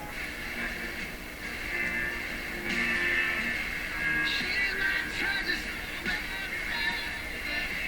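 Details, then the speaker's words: Nordmende Traviata 59 tube radio after its low-output fault was corrected, played through a small speaker: music comes through clean and steady at moderate volume, a bit thin on bass, with no hum, crackle or dropouts; the tone controls seem ineffective; normal output. "doesn't seem like any of the trouble controls do anything on this radio but it's working nice"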